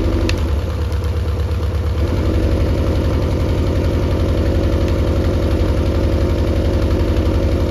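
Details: Mercury 90 hp outboard on a Shetland 535, top speed only about 40 km/h, compression unchecked: running while spark plugs are pulled to test cylinders, a steady low thumping idle with an uneven pulse about three beats a second hinting at a weak cylinder.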